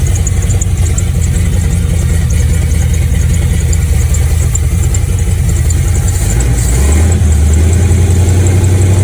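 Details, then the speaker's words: Project truck with carburetor, de-winterized after winter storage (spring 2022), cold: low, steady idle with even pulses, no vacuum-leak hiss, slight belt squeak; much better after spark plug change and carb tuning; oil pressure and volts good. "So much better since that plug change and the little carb tuning I did into it."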